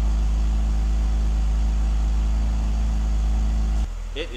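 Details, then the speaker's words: BMW E46 330i cold start after valve cover gasket (folded on cylinders 2 and 3) and idle air control valve replacement, old gasoline: smooth steady idle hum, even low pulse, no stumbling, RPM holding constant until shut off; secondary air kicked off. "is idling beautifully. I am super happy about that. Let me show you the dash. So the needle is holding beautifully. RPMs are holding great."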